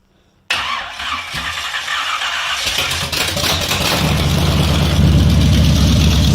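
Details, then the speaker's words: 454 big-block (7.4L) V8 from a 1974 Nova, over 37,000 miles: catches and revs up cleanly with a deep, steady beat, no stutter or misfire; healthy, nothing wrong. "beautiful see it doesn't stutter or anything"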